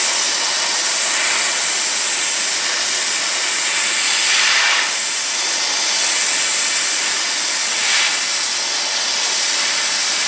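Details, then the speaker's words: Inexpensive sandblaster using broken-down leftover blasting-cabinet media, cleaning flanges on a 1968 Triumph TR250: strong steady high hiss with gentle surges as the gun moves, no sputter or choke; normal sandblasting. "I just use my leftover media from my blasting cabinet the stuff that's broken down a little bit so it seems to work pretty well anyway here we go see if this works"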